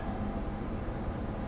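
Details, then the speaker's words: Combine diesel engine idling just after an engine oil change: low, steady rumble with an even beat, no knocking or missing, oil temperature showing, engine load 8% at idle; normal idle, seems to run fine. "we have oil temperature engine load is 8% yeah we're good seems like she's going to run"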